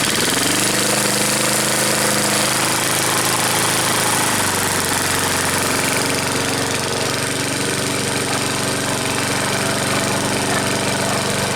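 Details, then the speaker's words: Vintage 3.5hp Briggs & Stratton push mower, started after a few pulls for the summer season: catches and settles to a steady, even single-cylinder buzz without misses; running normally. "There we have it. Got 2, 3 holes and we're going."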